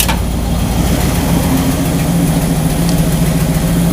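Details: 1969 Chevy truck V8 with Quadrajet carburetor, idling after distributor reinstalled and ignition timing set to 8 degrees with a timing light: steady, even idle, smooth low rumble, no misses or stumbles; running clean.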